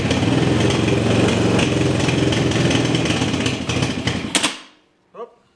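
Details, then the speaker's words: TaoTao 250cc ATV after new CDI, coil, regulator and reseated ignition switch wiring fixed no-start: single-cylinder chug, steady at about three and a half beats a second, running evenly on choke in near-freezing cold before shutoff. "still need some choke but uh is quite cold out here it's uh supposed to get down below freezing in Texas"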